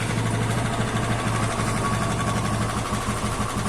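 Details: TVS Apache RTR 160 2V engine at idle: a quick, light tick repeating about three times a second, following engine speed, from the top end; the "tik tik" engine noise problem before full engine teardown and repair.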